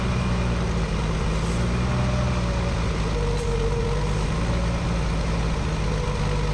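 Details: 1965 Ford F100 revived after years abandoned: low heavy idle that wavers and never quite settles; carburetor vacuum leak from an over-tightened, warped carburetor with stripped holes and no correct gasket set.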